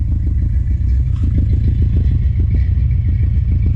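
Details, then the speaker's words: 1970 Plymouth Duster 340 V8 race car at idle after leaning idle mixture screws and replacing gaskets: low uneven, stumbling thump, still missing a little and getting worse; was running very rich, fuel or distributor problem suspected. "it is still missing a little bit it's getting worse"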